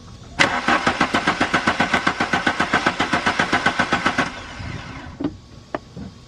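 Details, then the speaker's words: 1995 VW Mk3 Cabrio after new fuel pump: steady, even cranking about four compressions a second for four seconds, no firing; no fuel coming through, owner suspects fuel relay or fuel filter. "so yeah we'll call that official there is no gas coming from there"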